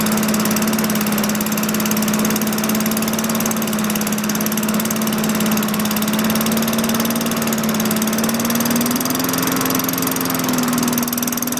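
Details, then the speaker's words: 2003 Craftsman 22" mower, Tecumseh 4.5 HP engine, about 20 °C: single-cylinder drones evenly but sits low and lazy, creeping up slightly near the end. Low engine speed. "You move the arm forward, it puts more tension on the governor spring. I didn't need to adjust this, but what I did is increased it, and I could hear the change in pitch in the engine."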